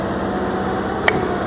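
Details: Honda Beat valve guide, newly pressed in: guide end covered and valve pulled, giving a single sharp suction pop over quiet room hum; silent before replacement, so new guide fit is tight and correct.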